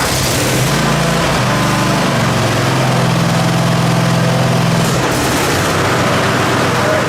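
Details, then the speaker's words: Zero-turn riding mower after its worn, rattling deck was rebuilt with new pulleys, spindles and belt: the engine holds a steady drone, the blades spin evenly and there is no rattle or knock; the deck sounds healthy, like new. "sounds just as good as it was when we first got it."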